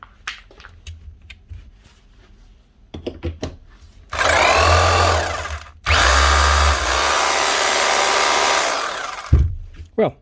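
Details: Brand-new Hikoki SDS drill that stopped after about a dozen holes, run after the repair (a disconnected switch wire pushed back on): two clean bursts of high, even motor whine spinning up and holding, no sparking or stutter. The motor is healthy.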